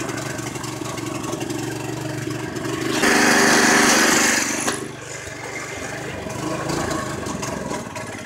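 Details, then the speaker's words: 212 Predator engine in a golf cart build with a torque converter, on its first run, with smoke seen when trying reverse: it surges briefly, then sags and falters toward a stall. The owner blames too little fuel and carburettor issues. "yeah that carburetors just jumped me at the water I knew that I just don't have enough fuel in there to keep it running"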